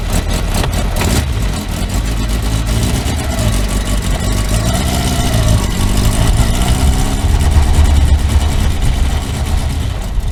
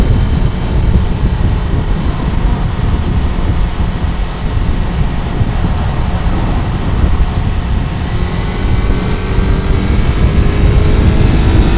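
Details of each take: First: Kawasaki four-cylinder motorcycle after reassembly, revving: ragged uneven beat with a flat exhaust note, not running on all four cylinders; cylinder 1 found dead, owner suspects ignition leads disturbed when coils were removed; single-cylinder misfire. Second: Kawasaki four-cylinder bike, warm, after fixing cylinder 1 not firing (found via wet paper on the cold header; plug caps had been disturbed): deep steady exhaust rumble with revving, now on all cylinders, slightly rough, still needs fine-tuning; new exhaust not yet fitted.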